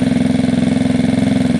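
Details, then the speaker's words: Gilera DNA 125 with an upgraded metal-slide carb, revs lowered but air-fuel screw not yet adjusted: steady idle with evenly spaced, quick firing pulses and no misses or hunting; much smoother already. "but this seems much smoother already"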